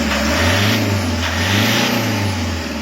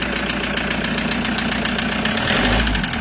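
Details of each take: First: Toyota Hiace 2KD diesel after overhaul for knocking (number 3 cylinder piston and liner scratched, fitted 0.50 oversize); steady even idle, smooth low rumble, no knock or tick: running normally, problem solved. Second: Toyota Hiace 2KD diesel idling with a hard, uneven knock near four per second and a heavy surge every couple of seconds. Cause was a scratched piston and liner in cylinder 3, fixed by an overhaul with a 0.50 oversize cylinder.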